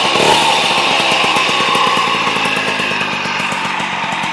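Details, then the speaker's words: 1989 Magnum Racing Ceramic White moped, two-stroke engine revving: buzzy note with a rough, rattly grinding underneath from noisy worn crankshaft bearings; engine needs work. "donc on entend bien le les roulements c'est bruillanti"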